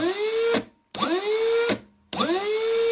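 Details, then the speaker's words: Rebuilt Rotax actuator motor from a Rover gas turbine, on battery, running counterclockwise. Three short runs, each a click, a quick rising whine that levels off, then a stop click. The actuator works normally. "Yeah, so that's going counterclock as you look at it, and it's doing the right noise. That click, then the click."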